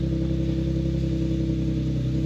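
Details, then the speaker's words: Infiniti G37 VQ37 V6, idling after replacing knock sensors and sub harness: low steady even rumble, no misses, knocks or hunting; smoothest start since the level two mods, normal idle. "seems like it's running well it started up the smoothest has started up probably since before like the the level two mods just letting it run see how it"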